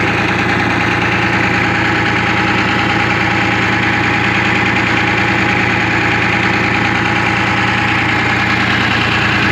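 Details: 1975 International Loadstar 1850, Detroit 6V53 two-stroke diesel, running with intake open, air filter off, after new air compressor inlet line; loud raspy fast idle, uneven beat, sounds like one cylinder not firing.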